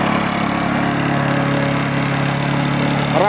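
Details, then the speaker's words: Lawn mower small engine after carburetor cleaning and air filter service (before: ran poorly, squeaked, stalled): steady even drone at constant speed, no sputter or surging; good sound and revs, running normally. "Я доволен Звук хороший обороты хорошие"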